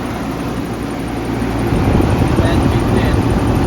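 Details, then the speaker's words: 1992 Mitsubishi 3000GT VR4 overheating: steady engine hum, then a rushing whoosh as the electric radiator fan cuts in late on a hot engine; owner suspects the thermostat isn't opening fully and poor coolant flow, unconfirmed. "I don't hear the radiator fan coming up let me go and check oh it just turned on you can hear the sound of the radiator"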